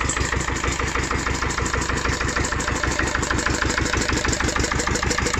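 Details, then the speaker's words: Old ES 320 stationary single-cylinder diesel, first start after about a year, running on used gear oil: steady even thump about two beats a second with crisp clatter; idles smoothly and healthily despite its age. "maszyna pomimo swoich lat nie widać pracuje pięknie"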